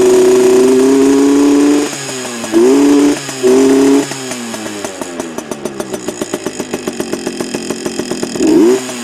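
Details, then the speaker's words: Heavily modified Yamaha PW80 two-stroke with FMF mods, revved: high buzzy wail blipped up and down then crackling back to a loping idle; louder than stock, revs cleanly, normal. "she sounds a lot better than stock anyway um a lot more uh loud as you can hear"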